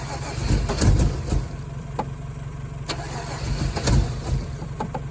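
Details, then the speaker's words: Chevy Colorado after sitting all winter, gas added. Uneven cranking with occasional firing puffs that never catch; fuel pump primes and fuel is smelled, but fuel pressure is unknown. Cranks, won't start, cause unconfirmed. "It wants to start. The fuel pump's priming. It smells like fuel up here. I don't know why she won't bust off though."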